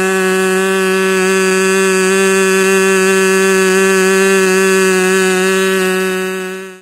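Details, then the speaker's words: Freshly rebuilt K&B 40 model 4011 glow engine (new ring, bearings, gaskets), 10% Coolpower plus 4% castor, 10x6 prop, about 12,300 rpm: even high buzz holding steady before cutting off, running rich because the new ring is still seating and not yet broken in. "so I backed out of it when I did that and you could hear it tell like it just wanted to take off so it's just not broken in yet that ring is still seating now you could tell also it was running rich"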